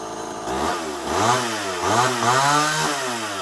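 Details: Homelite XL-12 chainsaw after getting it running right, hard to pull and previously running poorly when hot: small two-stroke revs up and drops back three times cleanly without bogging; runs well.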